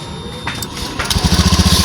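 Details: Honda Scoopy scooter, after repairing a loose, melted ECU connector that cut the starter circuit: brief starter whirr, fires at once, steady even idle about twelve beats a second; starts fine.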